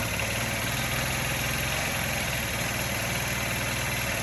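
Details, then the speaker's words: Honda Elite 80 scooter revived from dead, fresh oil change, needing its exhaust installed to run: idle rhythmically rises and falls, hunting rather than holding steady; owner suspects the idle air screw adjustment, surging idle. "you can hear it's kind of surging i think my o-ring this screw adjustment here is a little bit"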